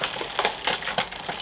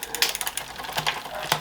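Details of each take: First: Shimano 8000/6800 road bike in service: front derailleur shifted from bottom gear up and back down with trim, crisp light clicks, no grinding or rubbing; normal smooth front shifting. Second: Planet X road bike with Shimano 8000/6800 groupset, workshop service: rear upshift hangs; one click does nothing, then after a second it jumps two gears. Freewheel ticks and chain clatter as it tries to move. Delayed rear upshift from a gummed shift cable.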